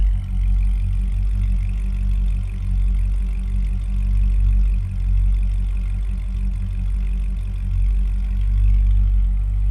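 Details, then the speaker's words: 2007 Chevrolet Corvette Z06, 7.0L LS7 V8 with 6-speed manual, K&N air intake and an exhaust with some bark: a deep, throaty, slightly menacing steady idle burble with gentle rev rises, no ticks or knocks; healthy. "Nice deep throaty exhaust note. Sounds a little menacing actually. Sounds good."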